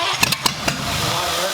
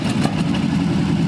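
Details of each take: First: Abandoned Cadillac 331 V8, start attempt with borrowed plug wires and cleaned points: cranks with a few ragged firing pops, then dies out; fuel pump suspected of not delivering fuel. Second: Abandoned Cadillac 331 V8 run on the floor, fed from a small fuel tank after plug, wire and points work: steady, even rumble with no knocks, misses or ticking; runs well, with the old carburetor working fine.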